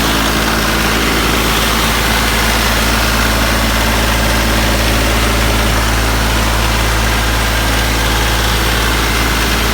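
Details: Branson 3520h tractor diesel after valve adjustment for a tapping/slapping valve noise, now at steady even idle with a smooth low rumble and no tapping; repair fixed it, normal idle.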